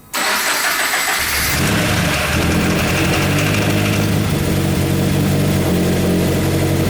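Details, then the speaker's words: Freshly swapped 2015 FA20 engine in a 2013 Subaru BRZ, first start after priming, cranks, catches and settles into an uneven, shaking lumpy idle with a dull knocking. "it what's that knocking knocking you don't hear that knocking uhoh what was that"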